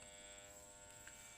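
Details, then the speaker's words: Electric fan motor, on speed setting two, gives a steady, harsh buzz with a thin high whine. It turns slightly but can't spin fast and feels heavy when turned by hand; on speed one it only hums. "Dia sedikit agak berputar tapi tidak sanggup juga sih kalau untuk memutar kenceng teman-teman ini suaranya pun berisik"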